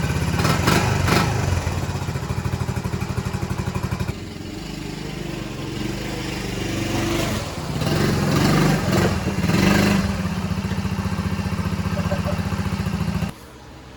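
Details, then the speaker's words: Restored 1984 Honda ATC110 three-wheeler, being ridden; single-cylinder putter sags and stumbles each time throttle opens, revs barely climbing: bogs on throttle, needs carb adjustment. "Um, needs a little bit of carb carb adjusting. You can tell just by giving it some gas a little bit. It wants to bog down a little bit."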